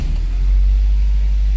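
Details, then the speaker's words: Nissan Tiida rental car, four cylinders, previously showing P0300 with backfiring and power loss, after repair: steady, even low rumble at idle with no stumbles or pops. No fault codes remain and the backfiring is gone. "parece que el petardeo ya se ya se quitó no tenemos ningún petardeo"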